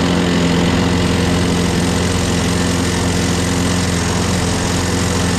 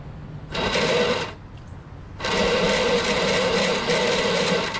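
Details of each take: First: Craftsman 6.5HP Briggs Quantum FWD mower after magneto replacement and carb clean, primed three times and started on the electric key start: steady, even low drone for twelve seconds, no hunting or surging. Owner notes an unexplained clanking and that it needs priming every time. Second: Craftsman lawnmower, Briggs 6.5HP Quantum engine, keystart: two bursts of high, thin electric whirring, about one and two and a half seconds, no cranking; starter motor spins but its drive gear is stripped and not engaging.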